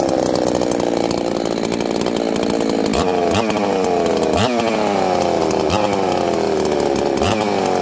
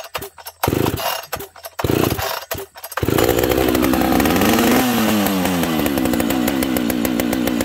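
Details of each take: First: Higher-RPM-build chainsaw usually run with a 28-inch bar; two-stroke screams high and clean, revving up and snapping back quickly on the trigger with no misfire or bog; healthy normal running. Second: Chainsaw that also leaks fuel from a bent hole in its case: a few pulls, then it catches and runs with a wandering, uneven buzz; it idles rough because it has no idle adjustment screw.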